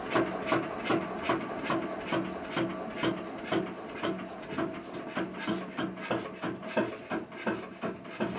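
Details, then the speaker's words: Witte single-cylinder diesel generator's first run in 45 years: slow, uneven chuffing about two and a half firings a second; runs but was not building oil pressure, so it was shut down to investigate. "all right but she's a runner it wasn't building oil pressure so I shut her down until I can investigate that more"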